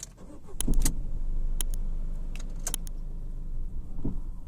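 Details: Ford EcoSport at start-up and idle: key clatter, a couple of sharp knocks as it fires, then low droning rumble with some rattle from the engine bay; vibration noise also when moving, cause unknown.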